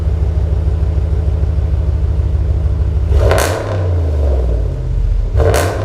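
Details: 2019 Ram 1500 Hemi V8 after a Solo Performance muffler delete: deep, loud idle burble, then two quick blips that rise and fall cleanly with a slight rasp through the open exhaust; normal idle and rev.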